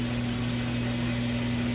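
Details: Craftsman Atlas 6x18 lathe (1950s–60s), tapered roller bearing headstock, clutch engaged at full power, back gear chewed but working: steady, even low hum with constant tone, no knocks or grinding; normal running.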